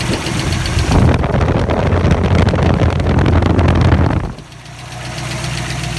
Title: 302 Lifter Tick